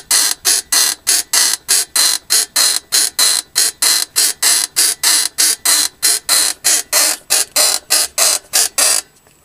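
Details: Mercedes W220 rear suspension creak: sharp hissing creak repeating about 97 times a minute with nothing underneath as the suspension works.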